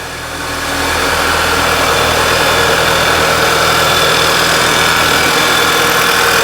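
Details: 2011 VW Tiguan with P0300 history, after repair: steady, even idle with constant hum and no stumble; running much smoother, idle quality good, slightly less crankcase vacuum than before.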